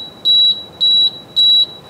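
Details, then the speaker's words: Electric conversion car with an MGA motor, after a new pre-charge wire was added and front cells were changed: high steady beep repeats three times, a BMS communication error alarm. "BMS comms air I wonder if it's that those ones up front that I just changed all those ones are not reading"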